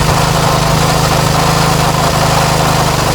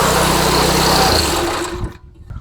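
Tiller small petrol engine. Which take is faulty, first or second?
second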